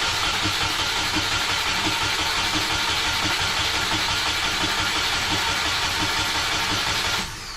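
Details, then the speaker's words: Subaru EJ20 in a 1995 Impreza track car that had been sitting, with newly wired harness: even cranking at about three beats a second, hissy, no firing. The fuel pump seems to run with the key off, as if reversed, so fuel delivery is suspected. "I don't know, even like when the key is on off, I feel like I hear the fuel pump going when it's not supposed to."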